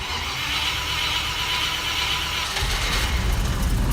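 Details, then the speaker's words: Cold start, petrol V8, choke out, in park: after hissy cranking it catches and stumbles on about 2 cylinders, then 6 or 7, then all 8, with a slightly squeaky belt. "Running on about 2 cylinders. And that sounds like about 6 or 7. And that sounds like about 8."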